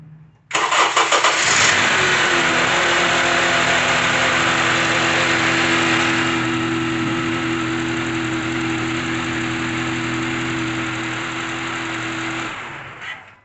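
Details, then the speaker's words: 2012 Honda CR-V, cold start after serpentine belt replacement, knock previously occurred on cold starts: engine cranks, catches quickly and settles into an even idle with no knock; fixed. "No lo hizo el vehículo está frío no lo hizo vamos a volverlo a prender vamos a volver a escuchar porque siempre lo hacía cuando estaba en frío y lo prendían"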